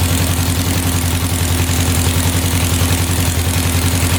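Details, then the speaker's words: 1967 Volkswagen dune buggy air-cooled four after four new spark plugs: lumpy pulsing idle, still really smoky and dripping oil; owner suspects a weak cylinder misfiring, unconfirmed. "This one's really smoky yet. Dripping oil. All right, we're gonna do a compression check. I have a feeling one of these cylinders is a little bit low and maybe not firing the way it is supposed to be firing."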